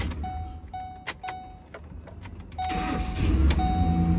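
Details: Ford Expedition with previous no-start, after tightening a loose battery terminal: door chime, short crank, engine fires right up into smooth steady idle with no thumping; starting normal.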